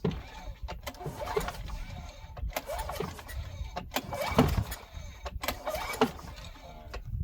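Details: Craftsman wheeled weed trimmer, long unused and found missing its spark plug, brake cleaner sprayed into the cylinder: several pull-cord tugs turn it over freely with no clashing or hard stop. Normal pull-start cranking.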